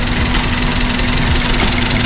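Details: Daihatsu Sirion at idle with the check engine light on: uneven, lumpy beat with faint irregular knocks under the hum, sounding like a misfire. ECM malfunction suspected, not shown by the scanner; wiring should be checked first.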